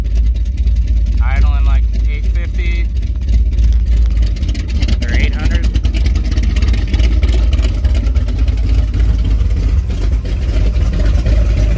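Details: 454 big block with a Thumpr cam in a Firebird, first start in about two months; timing pulled back and idle raised, good oil pressure, temperature not yet at 160. A deep, uneven loping thump at steady idle with music over it: a normal lopey cam idle.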